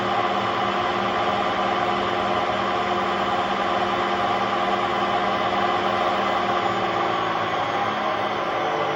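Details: Hotpoint Aquarius WMA50 washing machine drum turning with a loud, steady droning roar and hum from worn drum bearings.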